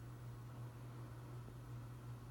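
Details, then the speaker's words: Hunter Infiniti 52-inch bright brass ceiling fan on high in reverse: steady low electrical motor hum under soft even air whoosh, hum noticeably louder in reverse than forward. "Hum's a bit more in reverse, that's something I do notice with it. You should be able to hear that on camera."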